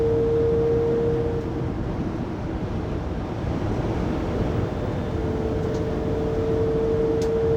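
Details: Loud steady high whine near 480 Hz fading and returning over road noise at 80-90 km/h in a 2020 Pleasure Way Plateau FL (2019 Sprinter 3500XD), recorded on a phone inside the cabin after the drive shaft and differential were replaced; the whine persists and its source is unfound.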